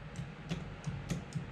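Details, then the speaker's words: Kubota BX tractor, newly installed 3rd function hydraulic valve kit, battery reconnected: crisp clicks about every quarter second as the solenoid switches up and down, LED indicating; valve solenoid working normally. "I hear it clicking. So that's up and that's down. Really like that. It's really nice that it gives you the LED light indication in case you have some kind of an issue."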